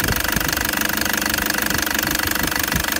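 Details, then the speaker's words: Toyota Prado 2013 (MY14), Denso 1KD-FTV diesel, 130,000 km, at idle: sharp steady metallic knock about two beats a second over the clatter, owner says noisier since EGR work; injector knock suspected, possibly contamination, not confirmed. "but he did say that it's been running not as good or it's been a bit noisier since"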